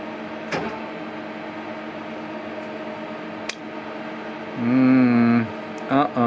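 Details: Hardinge CNC turning centre turret after reassembly and hydraulic solenoid valve work: loud wavering motor whir as turret spins round continuously tight against the housing instead of indexing; cause unknown.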